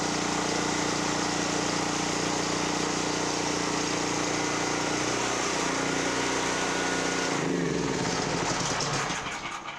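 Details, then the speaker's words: Generac GP5500 generator, previously a non-starter after sitting about two years, loaded with a 1,500 W heater and a 1,270 W heat gun; loud steady drone holds pitch under load, then fades; normal running under load. "So I did have a 1,500 watt heater on there and a 1,270 watt heat gun. And you could hear it loaded a little bit. Powered through."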